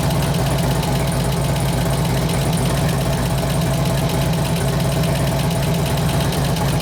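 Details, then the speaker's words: 2004 Harley FLHT Twin Cam 88 after cam swap with new lifters: loping idle with a fainter top-end tick. About half the lifter noise has gone; owner suspects one lifter, maybe both, still not pumped up. "pretty damn responsive cam woke it up cam woke up it woke it up pretty good definitely barking yeah about half that lifter noise went away"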